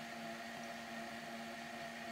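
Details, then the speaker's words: Hornby model railway motor after the drive shaft was repositioned through the seating area to cure a clicking: steady, even motor whir with a faint high whine and no clicking. Drive now runs smoothly. "so listen to this we can hear is the motor turning no clickety click"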